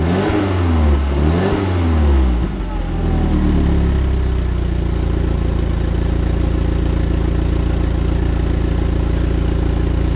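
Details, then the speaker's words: Neglected Audi TT, cold start after standing a while, heard at the tailpipe: deep burble as engine revs, then a smooth, steady idle, no knocks or ticks; healthy cold start. "Right, let's go and check out the exhaust tone. Nothing like a good cold start to check the exhaust."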